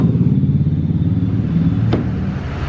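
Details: Royal Enfield Classic 500cc after repositioning the sensor lower to fix a misfire, restarted: deep, even single-cylinder thump that picks up cleanly and holds steady with no stumble or missing; runs normally after the fix.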